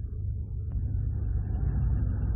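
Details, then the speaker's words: 2015 Hyundai Veloster with 7-speed DCT, engine idling in neutral and in D1: deep uneven rumbling judder, not a misfire, caused by side-to-side play in the dual-mass flywheel; worn flywheel, flywheel and disc assembly replaced. "들들들 들들 이렇게 떨어요 똑같이 중립이나 기가 어 때랑 똑같이 요런 증상인데 dct 미션이 적용이 되다 보니까 플라이휠 휠에서 좌우로 유격이 생기면 이런 증상이 발생을 하는 거예요"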